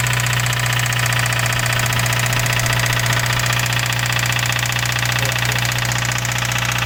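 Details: 2017 Subaru WRX at idle: steady fast knocking at about two and a half per second over the idle; clear internal engine knock, cause still unknown.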